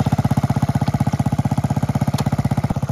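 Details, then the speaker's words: 1969 Honda Z50 (Z50A) mini bike, after full tune-up, oil change and valve adjustment. Crisp, even putt-putt at about four pops a second, steady and unbroken. Little single idling nicely; running and riding good. "Okay, there we go, guys. Got this thing running. Seems to be riding good."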